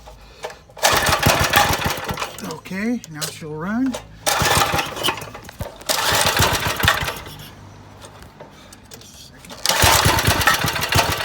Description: This is a Briggs & Stratton 135212 5 HP Flathead I just rebuilt for my Go Kart ..It had seized valves and a broken tappet. Now it sings !! ..enjoy..